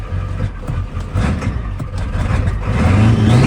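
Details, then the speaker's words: Ford Powerstroke diesel truck running rough with an uneven, lumpy, stumbling beat that surges and sags after being cranked with ignition off to purge air; air in the fuel system, rusty tank later swapped. "She got some air in it. It's running work."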